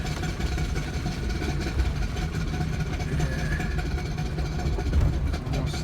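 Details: Ford Ranger climbing a hill in four-wheel drive, possibly engaged on the fly, under heavy engine load: a heavy, choppy low rattle from the driveshaft, traced to a bad CV joint and since fixed.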